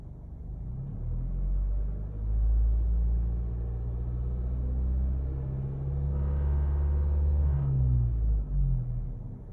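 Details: 2018 Honda Civic Si with a manual transmission: deep droning engine hum with a brief buzzy rattle at 2100 rpm; cause not identified.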